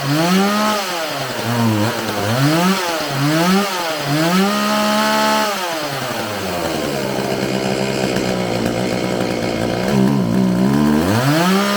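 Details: Homelite 4620c 46cc chainsaw with 20-inch bar, just restarted after recoil starter repair, carburetor cleaning and new fuel lines; repeated revs with a ragged, stumbling fall-off show hesitation off the throttle, so the carburetor is to be adjusted.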